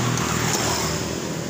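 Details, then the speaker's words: Honda Beat FI scooter, serviced two days earlier, road-tested after a rotor check: engine revs roughly and unevenly under part throttle, stumbling as if out of fuel, then stalls when pushed; it restarts, and the cause is unconfirmed. "Ini tarik keluarnya ini tarikan tengah Mas Bro, tarikan tengah berbet. Kalau dipaksa mati Mas Bro motornya."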